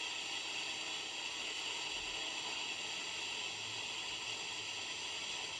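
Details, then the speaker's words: Unitra Eltra Alicja R-701 radio, FM (UKF) band with a wire connected as antenna: only flat even hiss, no station, voice or music; no FM reception; long-wave band also dead, pots need cleaning. "OK połączyłem tylko kabelek zobaczymy czy coś złapiemy tak niestety zakres UKF nie daje oznak"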